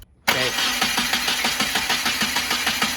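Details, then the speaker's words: Subaru FA20DIT rebuild that won't run, cranked on a truck battery for a compression test: even, quick chuffing rhythm with no drag. Healthy cranking at about 140 psi compression. "okay stop perfect okay so this looks pretty good we're at about a hundred and forty honestly about 140 in compression which is actually really good so that's awesome"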